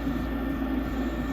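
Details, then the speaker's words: Rheem 90%+ gas furnace that randomly blows cold air at night: the inducer drones roughly as it tries but fails to ignite, with a watery wash from water trapped in the exhaust tee interfering with ignition. "she just tried to ignite but she didn't and as you can hear hear that sounds like there's water"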